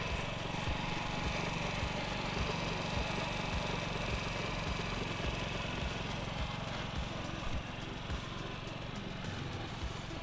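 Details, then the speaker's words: Honda Ruckus single-cylinder scooter with replacement carburetor and new fuel line, warming up during idle screw adjustment: slow putter with uneven beat and drooping speed, lugging and near stalling; idle still inconsistent. "see every time I hear it starting to kind of lug a little bit and wanting to stall out I just turn a little bit more throttle a little bit more on the idle see there's there's still a little bit of inconsistency in it idling"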